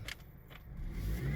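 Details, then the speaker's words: Dodge Caliber with power steering noise complaint, A/C off and no load: a faint whine rises in pitch as the engine revs over a low rumble, not from steering use. "oh y'all see that so when i rev up on the engine i'm getting a noise now we're on to something"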